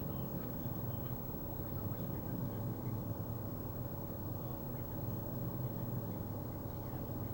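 Steady low engine rumble at idle with a slightly uneven, lumpy beat and no clear knock; idle seems rough, cause not evident.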